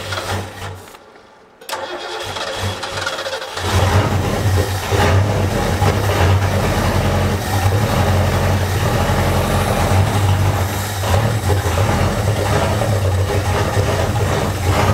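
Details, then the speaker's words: 1972 Ford Galaxie 500 station wagon, neglected 400 V8 parked since 1998, about 20 years: silence, brief cranking, then it catches on a rough uneven idle, kept alive with the pedal and sprayed fuel before the fuel pump is hooked up; it's thirsty. "let's try to hook the fuel up to the fuel pump yeah it's taking everything as hard as I can with that if you it's thirsty"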